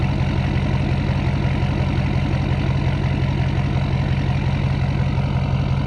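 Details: 2012 Ford F550 6.7L Powerstroke diesel at idle before the resonator install, mic 16 inches from the exhaust tips, about 88 dB: deep, steady rumble with a slow regular beat and no misses or knocks; engine sounds healthy.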